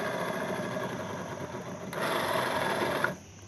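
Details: Yamaha Mio M3 scooter, rear wheel spun by hand: rough rasping grind with fast uneven rattle from a worn bearing in the final gear (rasio) section.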